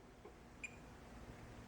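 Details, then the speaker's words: Yamaha EMX 5000-12 powered mixer with an intermittent output, NPN transistor tested in circuit with a DMM in diode mode, positive lead on the base: one short, high meter beep as the probe touches the collector; junctions read normal. "And then the emitter. Okay, so these junctions are reading normal."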